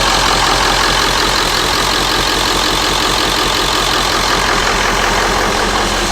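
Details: Ford F250 early-99 7.3 Powerstroke diesel after injector cup, injector, glow plug and water pump replacement to fix diesel fuel in the coolant; steady, even, smooth clatter at idle with no misses or knocks; healthy idle.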